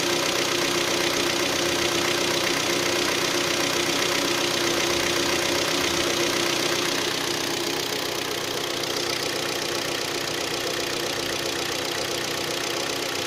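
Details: Hyundai ix35 G4KD engine, 66,000 km, after 12 hours parked outdoors: at idle a steady knock about four per second over bright engine clatter; scoring found in cylinders 2, 3 and 4. Piston knock from cylinder scoring.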